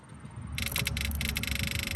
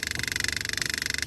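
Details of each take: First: 2004 Buick LeSabre that sat for years: a small electric transfer pump, wired to another car's battery, buzzes with a steady high hiss while pumping bad fuel out of the tank; normal pump operation, slowly clogging its filter. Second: 2004 Buick LeSabre that sat for years, fuel pump wired to another vehicle's battery pumping bad fuel out of the tank: fast, even buzzing pulse, pump straining as its inline filter clogs with sediment.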